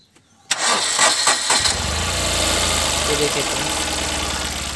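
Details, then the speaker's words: 2012 Tata Nano with misfiring, jerking and check-engine light, after replacing the plug cord wire (suspected current leakage); brief cranking, then it catches cleanly and settles to a steady, even idle with no stumble or miss; normal start and idle. "ये देखिए friends, गाड़ी okay चालू हो रहा है।"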